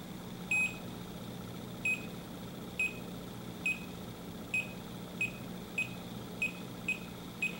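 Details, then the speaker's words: Leak detector held to an HFC reference leak: about ten steady high ticks over a faint hum, barely quickening and never rising to an alarm; detector barely senses it, would need a very large leak and direct contact. "it's barely picking that up at all you're going to miss a lot of H FC leaks uh with this leak detector you have to have a really big leak and be right on it"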